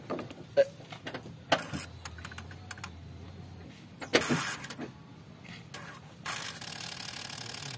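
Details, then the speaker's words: Daihatsu Xenia 1.0 with high idle rpm, engine off, key cycled on and off repeatedly to home the ISC: a brief low buzz with light mechanical ticks as the idle speed control valve steps fully closed, sounding normal. "bunyi nih biasanya gini nih bunyi kerja ist"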